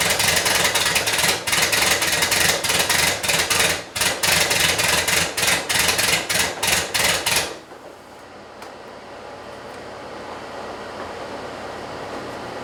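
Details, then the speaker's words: 1977 Porsche 911 Turbo first start after ignition distributor rebuild, fresh fuel, timing advanced: loud lumpy pulsing about three beats a second with uneven dropouts before dying; not running on all cylinders. "Well, that sounds like more than one problem. Well, I put fresh fuel in it. I've been cranking on this thing for quite a while now, and well, it still has a problem. I can hear a couple things happening. First thing is that it's not running on all the cylinders."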